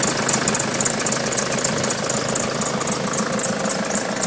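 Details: Nissan Patrol 3-litre turbo diesel at idle, also won't start unless jump-started: sharp high chirping squeak about four times a second over steady idle; source not pinned down.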